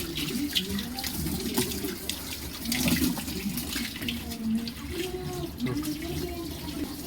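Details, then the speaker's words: Thomson washing machine filling on normal mode after drain-problem service, lid closed for testing: steady, even, uninterrupted rushing and splashing of water into the tub. Fill is working normally. "Normal లోనే ఉంది ఇప్పుడు present water అయితే fill అవుతున్నాయి."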